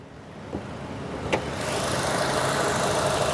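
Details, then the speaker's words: 2021 Suzuki Swift 1.2 GL Plus, 27,000 km, at idle during the engine-bay walkaround: quiet, even idle under a steady hiss with a couple of stray clicks, no knock or shake; a normal, healthy idle. "หูนิ่มมากแทบไม่ได้ยินเสียงรถเลยนะโอเครื่องเดินเรียบไม่เขกไม่สั่นนะ"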